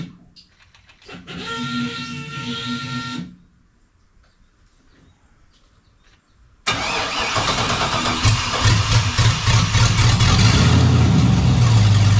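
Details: Chevrolet 5.3 V8 hot rod started and idling, not revved: after a quiet stretch it fires and settles into a loud, deep, even rumble; exhaust far too loud, neighbor hears it indoors, serious exhaust work needed.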